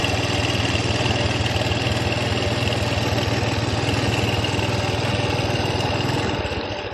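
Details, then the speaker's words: Honda Wave Alpha CX 110 misfires and putters on take-off, but it clears at high revs: uneven single putters about four a second. Ignition coil suspected first, then the CDI, which whistles with the key on. "Pumupugak. Pumupugak siya ag entrada. Pero pag binirit mo na mawawala na yung pugak niya."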